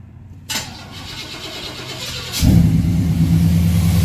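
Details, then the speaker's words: Truck with rebuilt TBI throttle body and cleaned injectors, next-morning start after fixing map sensor vacuum line and idle control valve plug: starter catches quickly, settles into steady even idle, no stumbling or surging; healthy. "looks like cleaning those injectors worked out well she sounds good running good and you know what i noticed too is i don't"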